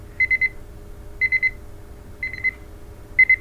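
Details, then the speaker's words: MultiRAE gas detector sample-pump check with the inlet plugged off. Sharp high beeps in groups of three repeat about once a second, the blocked-flow alarm; this shows the pump is drawing properly with no leak. "so that means that uh we plugged off the sample flow and the alarm comes up so we say we push the yes button again and it goes back on"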